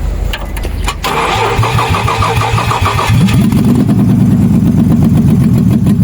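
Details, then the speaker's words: Nissan Xterra cranking with a bank one camshaft position sensor fault code still present: starter churns about three beats a second for a few seconds before catching and settling to idle; hard start from the camshaft sensor fault. "But from the look of things you see that the car does small hard starting bef"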